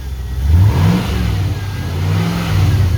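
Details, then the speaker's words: LS1 V8 from a 2004 Holden Caprice, 172,000 km, on a run stand still coupled to a 4L60E and revved with a lawnmower throttle. Deep burble rises smoothly with each blip and settles cleanly, no knocks, misses or smoke; healthy. "Runs really good. Put a lawnmower throttle on it, so if I want to rev it, I can"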